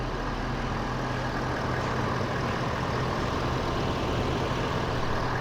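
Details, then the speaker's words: Ford 6.7 Powerstroke diesel just started after an oil and filter change with pre-filled filter, oil priming through: smooth even idle clatter, no ticking; normal idle. "sounds good no ticking or nothing that's priming everything up"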